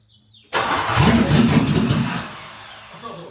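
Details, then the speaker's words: Discovery 2 with LS V8 swap, first start on conventional oil with zinc additive after restoring fuel pressure to almost 50 psi: brief crank, then catches with a loud roar and settles to a steady, even idle; starts fine. "Oh, that's loud."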